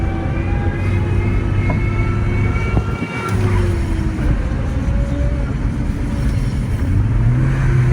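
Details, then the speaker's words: 1990 BMW 535i E34, manual, revived after years sitting, driving in gear: engine and road drone with faint whining that drifts with road speed whenever a gear is engaged. Owner suspects the throwout bearing or ancient gearbox fluid. "there's something whining I wonder if it's throwout bearing it could be the throwout bearing but it feels it's engages so smoothly I bet you the fluid is just ancient on that gear box"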